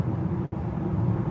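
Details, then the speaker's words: Nio EL8 on 22-inch wheels cruising on a concrete surface: a steady low droning rumble fills the cabin with no engine note; loud tyre roar, much noisier than the 20-inch wheels. "But now with 22 in it's a completely different story. So um yeah, especially if I move over to the right in here. But this is a quite noisy place. Uh you can hear the rumbling"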